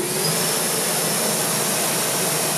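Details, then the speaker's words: Hub motor on dual Nucular 24-FET controllers, wheel off the ground, throttle brought up slowly: even, smooth whir rising steadily with no stutter or ratchet; violent ratcheting only occurs at 0–50 rpm when throttle is cranked quickly. "it's only like it at really low rpm 0 rpm to like maybe i don't know 20 or 50 something like that but all i have to do is bring it up slower"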